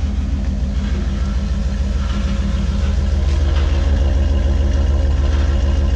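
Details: High-mileage shop truck with 188,000 miles, oil just topped up, warming up at idle: deep steady rumble with slightly uneven beat, no knocking underneath; rough-running idle that doesn't sound too bad.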